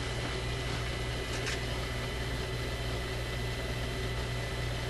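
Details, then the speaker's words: Grundig 2540 AM/FM/SW tube radio during FM section troubleshooting, after fixing speaker lead contacting resistor (B+ risk): steady low hum and faint hiss from speaker, no high-voltage ticking or clicking; normal operation. "Yeah, no clicking. I imagine if there was still some of that high voltage ticking sound, it would be audible in the speaker at this point."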